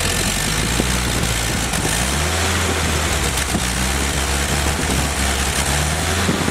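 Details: Rebuilt Willys F134 engine on a test stand without transmission, Pertronix distributor and coil, break-in oil, cycled about 800–2,200 rpm: strong, even roar stepping between lower and higher revs, no knocks or misses; normal break-in running.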